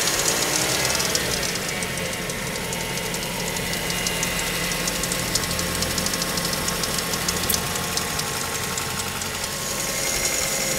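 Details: Mazda 5 after a cold start: a rattly, uneven ticking like marbles, sharp and bright above the engine hum, happening only some days and fading after a few minutes; dealership found nothing after an oil drain; engine ticking on cold start, cause unknown.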